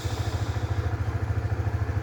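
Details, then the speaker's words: Honda Supra GTR motorcycle idling after throttle body cleaning (fitted to fix sluggish acceleration from soot and dirt buildup): steady even low single-cylinder thump with no misses; runs healthy again. "akhirnya bisa nyala juga. Tarikannya sudah normal dan kembali responsif seperti seharusnya."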